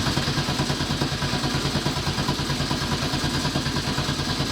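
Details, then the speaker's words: Nissan S14 with LS engine swap, newly installed Haltech ECU and harness, 60-lb injectors, fuel pump on a relay; steady starter churn about two beats a second, never fires; cranks without starting; fuel or base-map mismatch suspected, unconfirmed. "No. Damn it. That sounded so good. I thought that was it. What are we missing?"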